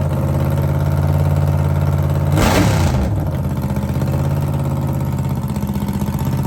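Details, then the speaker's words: Blown 1957 Chevy gasser start-up: catches with a brief roar, then settles into a strong, steady, lumpy idle with an even beat; sounds healthy. "Sounds good. Sounds [snorts] healthy."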